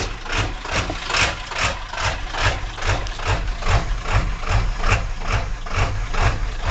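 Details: 1997 Powerstroke diesel at idle: a deep, uneven loping beat of about two pulses a second that surges and dips. The rough idle occurs cold or warm in any weather and smooths out with throttle. GPR, glow plugs, MAP and cam sensors already replaced and FPR screen cleaned; cause unknown.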